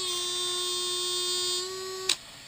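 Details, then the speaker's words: Brand-new Traxxas 2085 steering servo on an X-Maxx with steering linkage attached under slight load: steady high buzzing strain, then one sharp click, no steering; owner suspects a broken internal gear. "click so there must be something in there a broken gear or something of the sort"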